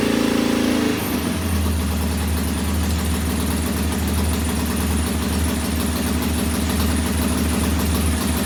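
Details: Norton P11 vintage British twin at first kick-start after a full carburettor strip and fresh gas: lumpy, loping idle without crisp firing; one carb's pilot jet isn't following adjustment like the other side's, partly blocked, to be cleaned once more.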